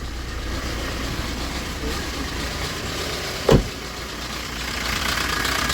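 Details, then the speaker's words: Maruti Swift diesel, about 96,900 km, hard starting and low pulling: idle with loud, loose, busy clatter and a sharp knock; timing chain loose, suspected stretched and lacking lubrication, timing shifted. "Engine കൂടി നല്ല രീതിയിൽ sound ഉണ്ട്. എനിക്ക് തോന്നുന്നു ചെയിനിൽ ലൂബ്രികേഷൻ ഇല്ല chain വലിഞ്ഞിട്ടുണ്ട് എന്നാണ് തോന്നുന്നത്."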